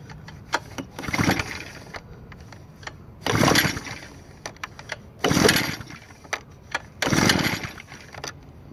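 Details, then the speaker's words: New Echo leaf blower on Stihl synthetic two-stroke mix, choke set and stiff, being pull-started: four rasping cranks about two seconds apart that never fire, because the on switch had been bumped off. "Alright, let's make sure the on switch is on. Yeah, I believe it was off. It got bumped off."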